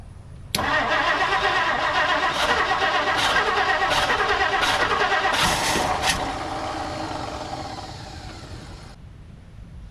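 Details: 1959 Plymouth Savoy with a cheap replacement Amazon carburetor just fitted and a new battery; steady fast cranking about three and a half beats a second with a few sputters that never catch, then fades.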